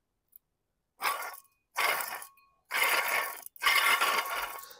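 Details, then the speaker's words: Removed water pump with coolant leak marks, spun by hand: four short bursts of dry, gritty grinding from its worn bearing. This is the same noise the engine made before; the new pump spins smooth and silent. "this is the exactly noise we get before right basically this one faulty pump basically the bearing not as should be good right"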